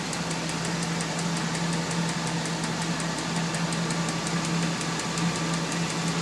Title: Name that sound. "Tick tick tick" sounds like a valve tap.